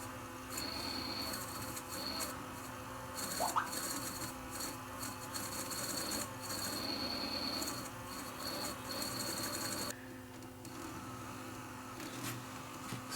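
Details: Sears Silvertone STR 1700 4-track reel-to-reel recorder, drive rubber treated with rubber renew and dried; small motor whines steadily with a thin high buzz, sagging only slightly when stalled by hand, much better torque: normal motor run.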